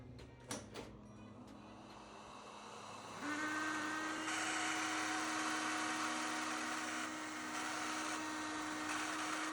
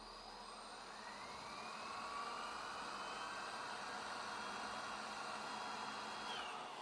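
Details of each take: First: Dirty vacuum cleaner turbo brush head spins up with a steady whine and thin high squeal over the airflow, from unlubricated brush and propeller bearings; fix is to open, clean and lubricate them. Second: Vacuum cleaner turbo brush head after cleaning and reassembling the belt to cure squealing: soft, even whir that climbs in pitch and holds steady, no rattles or scraping; brush spins freely and quietly.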